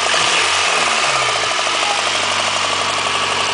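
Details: Honda engine at idle: light, fairly quick tapping, about four per second, over the engine. Owner suspects rod knock; source unconfirmed.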